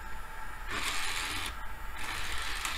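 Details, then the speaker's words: Dell PC optical drive: harsh rasping grind in roughly two-second bursts over a low hum as the tray moves; the tray won't stay closed, and a faulty tray-closed switch is suspected. "sounds terrible but it's working interesting it doesn't stay closed hahaha okay well that's got problems maybe there's a problem with the switch that detects when the tray is closed"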